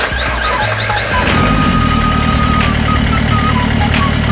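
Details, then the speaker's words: Renault Duster 85PS diesel with a no-start complaint: brief cranking, then it catches within a second and settles into a steady, even idle. Pump, injectors and common rail had been checked and rail pressure was uneven. This is during the old-versus-new wiring harness test, after wiring was found to be the fault. "Wiring போட்டு பாத்தோம் வண்டி ஸ்டார்ட் ஆயிடுச்சு"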